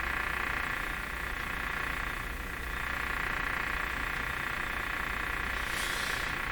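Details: RCA Victor A38 shortwave tube radio during broadcast-band alignment: a steady hiss with a croaking chatter repeating about three times a second; the source of the noise is still unknown.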